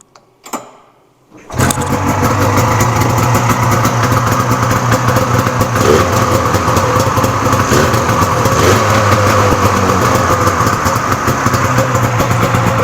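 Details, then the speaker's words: Cheap swap-meet Polaris Indy two-stroke snowmobile, started after a couple of pulls to fill the carb bowls: it catches and settles into a steady buzzing idle. Normal start and idle. "she sounds good the choke is a little still too small but I'm just going to leave it there"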